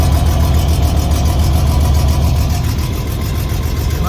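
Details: 1989 BMW E30 325is at idle after some exhaust leaks repaired and fuel and air filters changed: quick, fairly even puffing tick three or four times a second; less bad, but exhaust leak remains at bottom of header.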